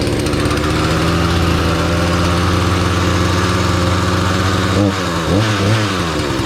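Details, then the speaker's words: Husqvarna 240 chainsaw after setting carburetor high and low screws to 1.5 turns out, warming up: steady, even two-stroke idle with a quick throttle blip, no hunting; may need minor adjustment. Normal idle. "i'll let it warm up it might need just a minor adjustment but i don't think there's anything wrong with uh uh dave if you're watching this"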